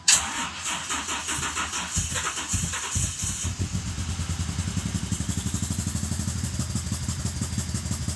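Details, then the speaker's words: GMC Typhoon turbo that sat 21 years, first start after clearing likely flooding and heavy smoke: catches after a stumble into a slow, lumpy idle with turbo whistle, boost gauge reading about 14 psi; rough low idle. "She fires right up. Turbo spool. Oh wow, that is definitely not running at over 1,000 RPM. That is messed up."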